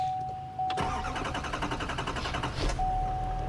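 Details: Chevy Silverado 2500HD diesel after fuel filter change and reset, fuel pump primed first: chime, then a short crank that catches quickly and settles into a steady diesel idle; clean, healthy start.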